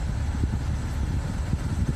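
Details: Subaru Outback idling with the AC running and vents showing a roughly 20 degree temperature drop: a steady low idle with the AC compressor humming evenly underneath, no knocks or squeals, normal operation.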